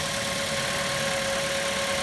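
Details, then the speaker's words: 2008 Mazda 5 after valve cover gasket replacement: steady, even idle hum at one constant pitch with no stumbles or shake; before the repair it ran rough and shaky at traffic lights, now idles smoothly. "like I said before before I was running kind of rough kind of shaky at the light when you got a traffic light but now it's running smooth"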